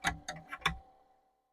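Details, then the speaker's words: Commodore 2031 HP single floppy disk drive, first power-up after decades and fresh soldering: four sharp metallic knocks in under a second as the head bangs against its stop, before the drive spins up. "I hear the head moving. I hear the head banging."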